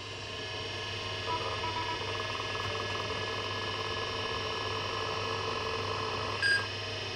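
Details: Wyse Technology 286 2112-40 after repair, booting from a Seagate ST-251 hard drive formatted to 32 MB with no floppy inserted: quiet steady hum of the drive spinning up, then one short clean POST beep, a normal boot to DOS.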